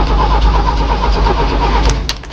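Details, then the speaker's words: Jeep on a cold start attempt: steady, even cranking with no weak beats, compression sounds even across cylinders, but it dies away without catching. Crank no start. "But you know, the crank sounds good. I will say that. The crank sounds good. It doesn't sound like, you know, we don't have compression in one of the cylinders."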